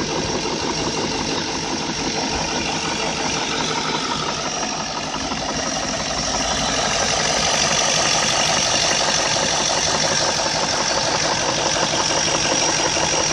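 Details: BMW E38 with M62 V8 at idle: a rapid, steady knock of about three beats a second over a bright, busy engine sound, suspected to be VANOS variable valve timing; not confirmed.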